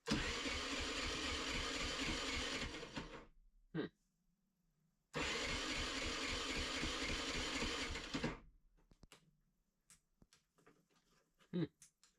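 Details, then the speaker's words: Off-grid generator after an oil change with lighter oil and a new spark plug, battery charged and thawed: catches and runs a few seconds then dies, again briefly; seems to get fuel; oil pulled into carburetor, lighter oil suspected. "But it seems like it's getting fuel. It just won't start."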